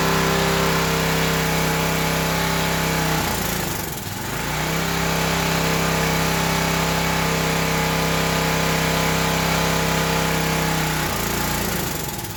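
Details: Old Craftsman pressure washer engine, unrun about 10–12 years, after carb cleaner: small single-cylinder runs steady, then sags and nearly dies twice before catching again; runs only on choke, dies off choke; likely a clogged carburetor.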